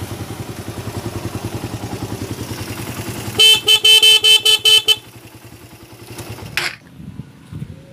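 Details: Motorcycle capacitor (elco) test, horn sounded with the elco installed: about seven loud, steady, same-pitch horn blasts over a pulsing idle; louder, full-strength horn.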